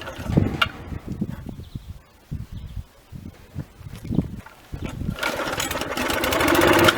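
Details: Victa mower during a revival, first start after reassembly with fresh oil and fuel. A few loose pull-over thumps, then the engine catches and picks up to a steady, even run; it is a bit smoky from the muffler.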